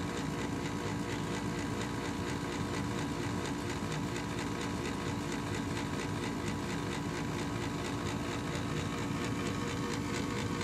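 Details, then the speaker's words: Bryant Plus 80 natural gas furnace resetting after short-cycling trouble (carbonized flame sensor, dead ignitor), running its pre-purge: steady, even fan rush with faint constant hum, no knocks or rattles, clearing trapped gas before the lighting sequence; normal purge. "And the first thing it does is it purges itself. It just turns on the fans and makes sure that there's no gas that was just trapped there."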